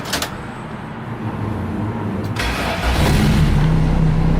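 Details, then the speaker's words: Turbo Honda Civic strapped on the dyno, new thermostat, old tune loaded, TPS recalibrated: short crank catches at once and settles into a smooth, even idle, no stumble or tapping, 95 degrees, good voltage. Normal start and idle. "starts up and runs smooth as butter on our 95 degrees good voltage"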